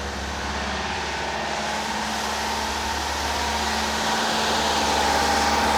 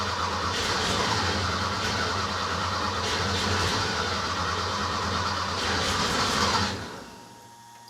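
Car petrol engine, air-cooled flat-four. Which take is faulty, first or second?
second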